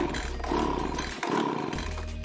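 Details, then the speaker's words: Echo leaf blower brought in as no-start, small two-stroke, choke on, primed: catches on the pull, revs raggedly, dips, then holds an even buzz once choke eased; may need high/low screw adjustment; normal start. "so she might need some adjustments on the high and low screws here perhaps by the sound of things but it's running steady there neddy"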